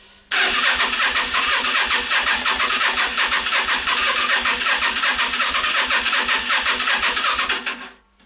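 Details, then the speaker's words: Yamaha Virago XV 500 cafe racer in -5°C cold, refilled with petrol after running fine a week earlier: starter churns steadily about seven seconds, even compression pulses near three a second, never catches; owner suspects spark plugs. "right so it's not firing and I'm guessing now is the spark plugs"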